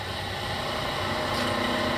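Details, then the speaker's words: Bridgeport 1 HP vertical milling machine (9"x42" table, step-pulley head, 80–2720 RPM, wired 220V), head rebuilt with all new bearings, running in high range: steady motor hum with faint rough fluttering rattle from the high-range change gears in the head; light gear chatter, not affecting operation. "you can kind of hear that noise right there, that's in high. That's a little bit of gear chatter you're hearing."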